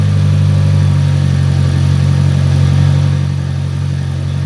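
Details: Fiat Punto GT Turbo at its first run after a four-year restoration, warming up: a deep idle with a slightly uneven, wavering beat of about four pulses a second. It is lumpy, and the owner suspects the airflow meter, not yet confirmed.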